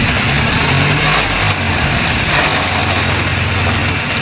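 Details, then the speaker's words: BMW R1200GS boxer, 10 years and 85,000 km: idling with gritty, sandy grinding/rattle when the clutch is pulled; clutch drags and neutral is hard to find. Teardown found a failed gearbox input shaft bearing. "That grinding, sandy noise. Also, the clutch isn't disengaging properly... ...making it very difficult to find neutral."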